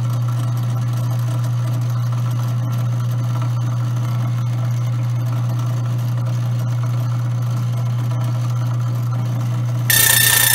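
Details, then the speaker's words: Grindmaster coffee grinder running while adjusting burrs: steady low motor hum, then a bright high chirping scrape as the burrs touch when the centre screw is turned clockwise; back it off until the chirp stops. "Once you hear that chirping noise, you want to back it off just enough so that noise stops."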